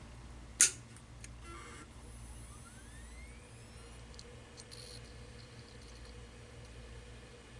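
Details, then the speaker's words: Seagate hard drive with a dead, shorted PCB, after removing the TVS diode: a click at power-on, then a smooth rising whine as the platters spin up with no further clicking; normal calibration, drive sounds healthy. "it sounds perfectly normal didn't click it's normal calibration sound sounds perfectly fine now"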